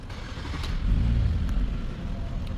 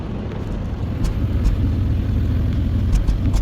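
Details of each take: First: 2012 Hyundai Azera 3.0 V6, after a repair for P0300 random/multiple misfire: smooth, even idle with no stumble; codes cleared and none returned. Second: 2012 Hyundai Azera 3.0 V6 with P0300 random/multiple cylinder misfire and intermittently flashing check-engine light, before repair: uneven, lumpy idle with irregular stumble as a cylinder drops out.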